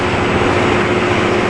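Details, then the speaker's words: Vintage Galaxy "The Wind Machine" fan on high, drawing 191 watts: a loud, steady jet-like rushing roar with a wavering drone underneath, the fan visibly shaking. Unbalanced fan blade. "this thing is terribly off balance I don't know if you can see it shaking we're now using 191 watts and this thing sounds like a damn jet plane taking off"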